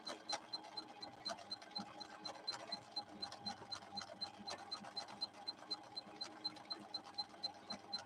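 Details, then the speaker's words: Viking Husqvarna 6460 sewing machine after several repairs, sewing at the maximum the slow gear allows so the motor is held back through the gears; steady, even ticking about four times a second over a smooth motor hum, normal healthy running. "On this straightaway, I'm going to go to the max that this slow gear will allow me, so you can hear the motor being constrained back through the gears."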